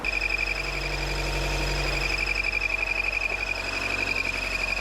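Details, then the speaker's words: 2014 Chevy Volt, engine running, before repair: steady high whistle over the running engine from the broken PCV valve built into the valve cover; the valve cover is to be replaced. "we're going to replace the valve cover due to the pcv valve is busted on the inside of it and it's built into it this is the pcv that's in question it's got a weird whistling noise"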